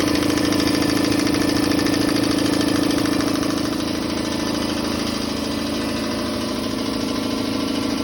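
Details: Campbell Hausfeld air compressor after repair with new pressure switch, check valve, gauges and regulator: steady motor drone with an even pumping pulse about three per second, easing slightly partway; normal running.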